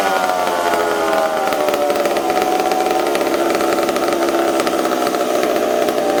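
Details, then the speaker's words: McCulloch Super Pro 70 chainsaw on bench, sprayed around intake boot: screams at high revs, pitch sags and wavers briefly mid-run then recovers; stumble, intake air leak suspected, not confirmed. "hold on here brad well i think we potentially have an intake leak did you hear it stumbling there now i couldn't get it right i couldn't get it right onto the intake boot but as i was spraying it there it seemed to want to stumble"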